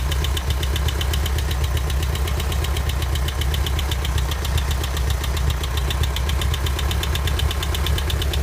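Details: 1984 Volkswagen Vanagon, fine the day before, at steady idle: a rapid, even knock rides over the low engine rumble, localized by ear to one spot on the engine. Source undetermined; engine knocking.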